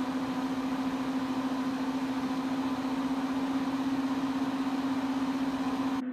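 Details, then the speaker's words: Mac Pro 1,1/2,1 with 48GB of 8GB DIMMs during a benchmark: loud steady unvarying fan rush, fans maxed out with no custom fan curves set, though temperatures are a few degrees cooler. "we're ramping up more they're still rampant and the temperatures are still a few degrees cooler the fan to match the fans are maxed out"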